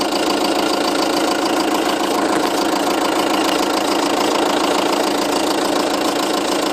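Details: 2007 Seat Leon 2.0 TDI 140, 30k on the clock, just had cam belt, water pump and major service; diesel idling with steady light ticking, heard mainly from nearside front wheel arch when stationary, not with bonnet open.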